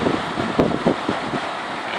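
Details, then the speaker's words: Evaporative air cooler fan after repairing a worn, knocking bushing with hot glue, tested on speed 3: even, airy high-speed whoosh with no knock or rattle, now quiet; finding: normal fan running. "ผมเสียบไฟให้ลองเปิดนะครับนี่เบิร์ดเบอร์3เลยครับเนี้ยมีเสียงเงียบแล้วไม่ดังแล้วนะครับ"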